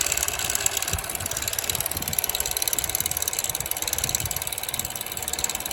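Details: 2007 Chevrolet Cobalt 2.2 daily driver at start-up: a busy, tinny metallic rattle over the petrol four's idle, suspected timing chain rattle, not confirmed.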